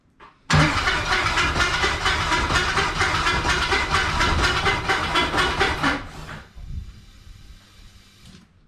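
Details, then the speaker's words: LS-swapped 1988 Firebird first start: harsh, gritty grinding over the cranking for about five seconds, then stops; owner suspects a Delco starter that is not meshing cleanly and needs a shim, not confirmed. "sounds like crap well what do we do here let's see we started so if it makes that noise while running we got a problem but I think it's just the starter I think we might need a shin"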